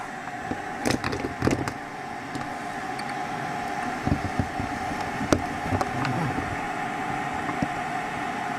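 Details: Hacker Sovereign RP18 radio on the workbench: steady, even mid-pitched hum of the desoldering suction pump running smoothly with no strain, after clearing a blockage, with a few handling clicks; normal running.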